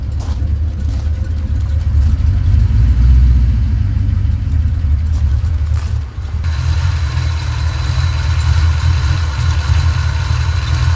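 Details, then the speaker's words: 1989 Ford Mustang GT Fox body V8 after tune-up with new spark plugs: deep, steady burble at idle with no stumble or miss; runs and idles better than before. "It definitely runs and idles better. That's pretty cool."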